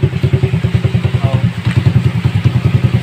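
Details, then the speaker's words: Rusi 100 single-cylinder motorcycle at idle after repair of its metallic rattle; the noise once heard from this area is gone. Even, regular putter with no metallic rattle; healthy, only the exhaust is loud. "Dito siya maingay banda. Ngayon, wala na."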